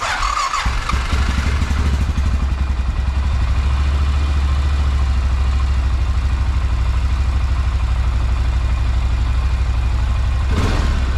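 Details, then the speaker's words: 2006 Honda Rincon fuel-injected ATV after cleaning the dirty idle air control valve to fix high idle: single-cylinder now idles low and steady with a deep, even thump, no hunting. "hey guys i think that mata did it i think that uh it's definitely hiding in a lot lower than you know the way it should be versus what how i was doing it when i put it back in here"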